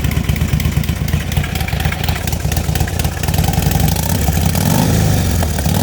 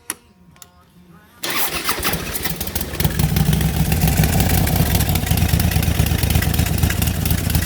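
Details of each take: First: DIY turbocharged, tuned Harley-Davidson Street Glide at about 9 psi boost, just restarted warm: lumpy V-twin idle with a slight, steady, clean rise in revs; running normally. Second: DIY turbocharged Harley-Davidson Street Glide, tuned, running about 9 psi boost: warm engine cranks unevenly for over a second before catching into a deep, lumpy V-twin beat; owner notes it starts a little hard when warm.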